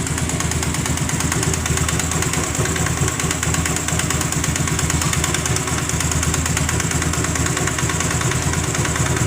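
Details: Honda Grazia BS4 scooter at idle: steady idle with a sharp puffing tick on every firing stroke.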